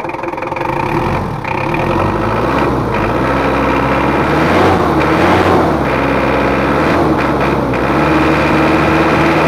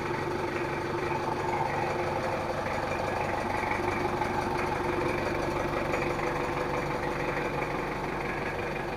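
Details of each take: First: Mitsubishi Kuda diesel after engine rebuild (nozzles and head not serviced), complaints of rough sound, thick smoke, high fuel use: harsh clattery uneven idle; injection pump pressure off, missing ring in lower injection pump. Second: L300/Kuda-type diesel after rebuild, after correcting injection pump setting and timing: a steady, even idle clatter with only faint leftover roughness, possibly nozzle-related. It now runs normally, with no harsh knock.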